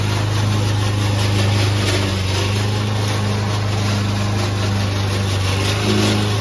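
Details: Old Toro Recycler mower under cutting load in Kentucky bluegrass, binaural recording: a steady drone with a coarse rattling drive-system clatter. The noise problem was later solved with WD40.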